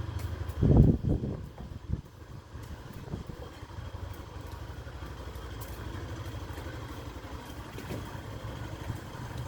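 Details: Factor 150 motorcycle with a noise present from the factory, owner plans to complain at the 1000 km service; idles low and steady with a faint tick riding over it, source not yet identified.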